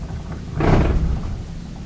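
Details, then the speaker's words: Maytag dryer running: a deep, heavy rumble swells for about half a second over the drum noise, still audible with the door open. Caused by a loose blower wheel, which gets replaced. "So even when you open the door, you can still hear that rumbling, and that's due to a loose blower wheel like this one here."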